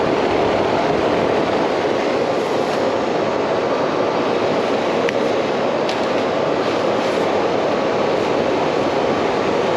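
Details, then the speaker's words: R22 AC condensing unit just charged with 12 pounds, about 25-foot line set, compressor starts; steady even rushing hum, no knocks, rattles or squeals, pressures about 56 over 218; normal running. "let's see if it's fired so we fire right up i did hear the compressor"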